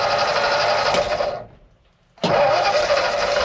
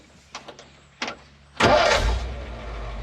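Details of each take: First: Ford F600 dump truck with PTO disengaged, cranked while pumping the gas: starter spins the engine in three long bursts of a couple of seconds each, steady churning, but it never fires or catches; cause not determined. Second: Ford F600 dump truck, previously running too rich with black smoke, restarted after a short rest with just a touch of the key: a few clicks, then catches instantly and settles into a steady idle; normal quick start.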